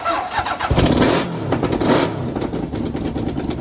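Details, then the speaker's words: Half-scale NASCAR kart four-cylinder with new custom aluminum intakes and carbs, throttle cable tension reduced: crisp throttle blips that rise and fall cleanly with an even, firm exhaust note; it now runs strong on all four cylinders. "Woo! This thing is running awesome on all four. Oh yeah. So it sounds super healthy now. It actually sounds like a motorcycle."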